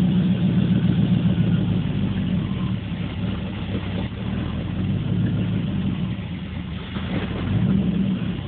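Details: 1980 Corvette with TPI, warmed up after driving, hard to start, rough until about 15 seconds: idle rises and falls every few seconds between 500 and 1000 rpm; hunting idle, cause not yet found.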